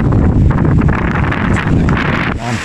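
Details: Standard stand fan after bushing and motor replacement: even rushing airflow over a low motor hum, no rattles or scraping from the blades; runs smoothly and normally again.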